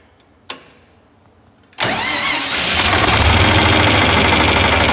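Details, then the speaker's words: John Deere 4020 gas/propane-burner tractor after upgrade from old starter to new 9-tooth gear reduction starter, with an 11-year-old battery: click, brisk short crank, catches at once into steady idle; normal cranking and start. "well that's what it sounds like i think that's a lot better get this old girl on the road again"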